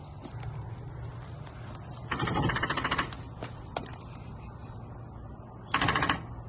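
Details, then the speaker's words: Old John Deere 2450 tractor after battery charging: two short buzzing, clattering bursts as the starter engages but fails to turn the engine over; owner suspects a bigger battery is needed, cause not confirmed. "Don't think it's meant to make that noise. No, that's the starter motor trying to turn, but not succeeding."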